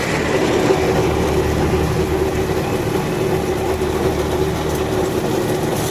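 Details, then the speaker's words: John Deere 5075E CRD diesel tractor working a banana field under load, rpm holding with no drop: steady, even drone with no knocks, misses or speed dips; engine running healthy. "வண்டி sound நல்லா கேளுங்க sound எந்த அளவுக்கு noise இல்லாம கரெக்டா ஓடுதுன்னு பாருங்க"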